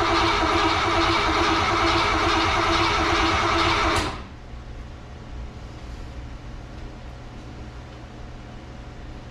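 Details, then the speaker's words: Carbureted car after a fuel system overhaul with a replacement fuel pump, derusted tank and new fuel lines: even starter cranking at about four beats a second for four seconds, never catching. Crank, no start, fuel not yet reaching the carburetor. "all right now let's give her a little bit of a crank here and see if we get any fuel up here to the"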